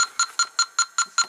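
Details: 1993 Cadillac Allante V8, A/C low on charge: rapid high-pitched electronic beeping, about five chirps a second, as the leak sniffer alarms at the compressor line joint; refrigerant leak suspected from the compressor's rear O-rings.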